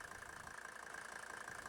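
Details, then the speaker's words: Diesel keeps running at a steady even idle after the key is turned off, tachometer dead; the stop solenoid box on the injection pump fails to cut fuel, due to a defect or missing vacuum. "Ich drehe den Schlüssel zurück, Zündung aus. Der Wagen bekommt keinen Strom, deshalb geht der Drehzahlmesser nicht mehr. Aber wie man hört, der Motor läuft weiter, als wäre nichts gewesen."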